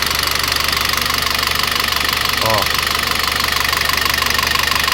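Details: Citroën C4 2.0 engine noise at idle; suspected low oil pressure, oil pump or lifters; light even ticking about three per second over steady idle, dry hydraulic lifters tapping.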